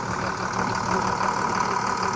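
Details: 2001 International DT466e diesel in a school bus, after replacing the Bendix air compressor and refilling fluids; steady, even idle with a smooth mid-pitched clatter, no knocks or misses, and no leaks seen. Normal idle.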